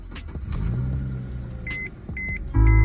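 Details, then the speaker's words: 2010 Mercedes-Benz C300 (W207) petrol with a failed electronic steering lock, after fitting an ESL emulator bypass: three short dash chimes, then the engine fires at once into a steady low rumble, a normal start without errors. "basically there's no errors no nothing all works exactly as um planned"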